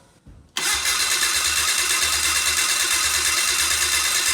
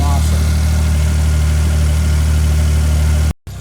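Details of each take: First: Old four-stroke fuel-injected snowmobile after 30 days underwater, oil and filter changed: starter spins engine steadily with even pulsing but it never fires; water still in cylinders, plugs wet. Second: Old fuel-injected four-stroke snowmobile after 30 days underwater, dried out, oil and water-filled chain case drained, connections greased: low even idle with steady beat, no misses or knocks; normal idle.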